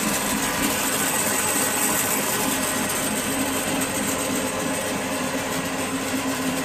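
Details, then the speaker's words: Restored 32-inch Maschinenbau Scholz bandsaw (about 900 kg cast iron), slowed to about 3,600–3,700 surface feet per minute; steady, even hum and blade hiss with no knocks, ticks or speed surges, running smoothly and healthy. "It was running smoothly as it runs now, but now I have slowed it down to about 3,600 or 700 surface feet per minute, and I'm much more satisfied with performance of it."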